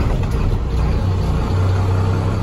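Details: 2004 Freightliner two-axle cab and chassis diesel, 193,000 miles, six-speed in neutral, just started: deep steady idle rumble, even beat, no knocks or misses; healthy.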